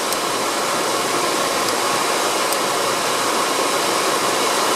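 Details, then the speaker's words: 1965 Monarch 10EE lathe replacement blower (used housing, adapter plate, another filter), blowing roughly 200 CFM through the filter: even airy whoosh, no rubbing, ticking or wavering; healthy blower. "that's blowing through the filter putting not a good uh flow of air not too extreme probably uh you know 200 cmer so maybe a little higher so uh I think that's going to work out pretty nicely"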